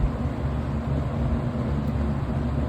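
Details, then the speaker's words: Vintage Kmart box fan, motor type unknown, switched from low to medium speed: smooth even low hum with soft steady rush of air and no rattles or ticks; fan motor running fine on medium. "medium wow that is a jump it's running pretty good"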